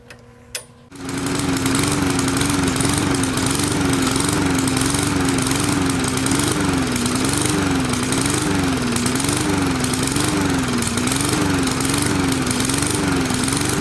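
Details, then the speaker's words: Briggs and Stratton 450 series 148cc horizontal lawnmower engine: speed hunts up and down about once a second, surging persisting with air filter removed, from a faulty carburetor diaphragm between carburetor and gas tank. "Uh just surging up and down and up and down and up and down. Won't stop. And that's the telltale sign of the carburetor. There's a a small diaphragm between the carburetor and the gas tank that goes bad sometimes."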